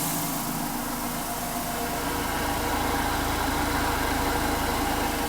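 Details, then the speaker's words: Vibratory tumbler/media finishing machine after replacing worn bottom bearing; steady fairly quiet hum with light even swish of media at top, no rumble or grinding; healthy running with good bearings. "very quiet actually um but most of the noise is right up here at the top"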